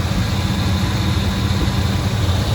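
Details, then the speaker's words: 1994 Chevy Blazer Z71 idling after a new A/C compressor and drier were installed: a smooth, steady idle with only a faint belt whisper, much quieter than before; one pulley has rust on it. "just a little bit of belt noise, but it's so much quieter than it has been ever. Yeah, that's starting to sound the way it should."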